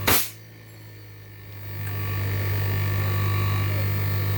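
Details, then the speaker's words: Samsung inverter AC outdoor compressor, which previously would not run, after circuit board repair; click at start-up, then a steady low hum that firms up and holds even with no knocking or rattle: running normally. "আউটডোরের compressor চলতেছে, এই যে compressor লাগানো আছে, compressor চলতেছে মাশাআল্লাহ ভালো।"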